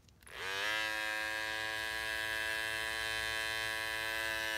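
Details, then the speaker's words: Cordless T-outliner trimmer with GTX T-blade, as it sounded in its first months: steady even buzzing hum at constant pitch, no rattle or knocking, quieter than the bevel blade; normal trimmer hum. "it was perfect it was a home it was a lot it wasn't as loud as the the bevel trim but it's this is the t blade they fixed up we got a little quieter"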